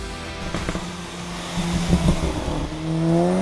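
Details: VW Golf GTI Mk5 drive-by after Stage 1 tune with pops and bangs and downpipe fitted, about 250 wheel horsepower up from 200; deep drone climbing with revs, a few sharp crackles on lift-off: normal tuned exhaust with overrun pops.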